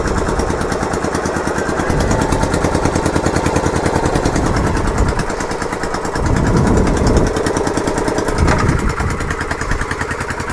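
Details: Yamaha Virago XV920 café racer V-twin on its first start after work: lumpy, uneven idle with loud sharp backfire pops and an unexplained clicking; the owner thinks the carbs need syncing.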